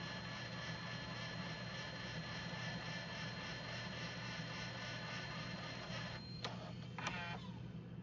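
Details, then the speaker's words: JVC GR-SXM330 Super VHS-C camcorder after transport rebuild (fix for clicking/E03 error): quiet steady whir rewinding a test tape, then a couple of soft clicks as auto stop engages; normal tape rewind. "And you can hear the transport's pretty quiet. I mean, yeah, there's going to be, of course, noise in the rewind and forward, but no clicking."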